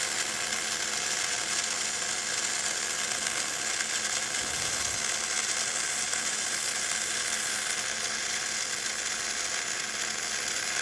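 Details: Gas-shielded flux-cored arc welding (FCAW-G), with the nozzle kept clean for gas flow. The arc gives a steady, even, soft hiss with fine crackle and no pops or sputter: a small, smooth, stable arc that still runs very hot, enough to set the glove smouldering.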